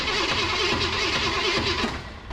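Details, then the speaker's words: Abandoned 1965 Ford Ranchero 4x4, long parked, cranked via alligator-clip jumper: lumpy, uneven cranking rhythm, some strokes dragging harder; cause unclear, possibly compression or internal obstruction, sound seemingly from one side toward the back. "lumpy lumpy that's a that's a new term for uh cranking an engine over"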